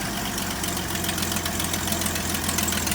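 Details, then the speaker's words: 1972 GMC tow truck first start after sitting 22 years: even, steady idle with soft regular pulse, slight exhaust leak, no blow-by or miss; possibly no thermostat; engine sounds healthy. "That little exhaust leak, it sounds like. It does, yeah. Unreal. Boy, that sounds beautiful. That's a sweet little motor."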